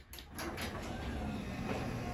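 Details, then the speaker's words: Garage door opener closing after realigning a safety sensor that had lost connection with the other side; steady even drive rumble with no stop or reversal, normal closing. "That's how it should work, guys. All right, I'm gonna close it back now. Quick press."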